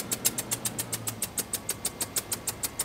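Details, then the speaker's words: Range Rover at idle: sharp, even ticking about three times a second puffing with the firing pulses, an awful exhaust leak. "that's an exhaust leak rev it up a little bit that's awful"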